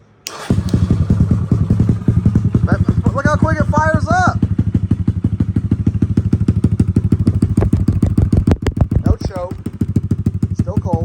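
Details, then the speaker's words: Kawasaki KLX140 with stock carb, Big Gun exhaust and airbox mod, being rejetted: cold start settles into a loping, slightly uneven thump around three beats a second, chugging a little; owner suspects it is running slightly rich. "and it's probably chugging a little bit like that by a little bit it's gonna be a little rich throttle responses there"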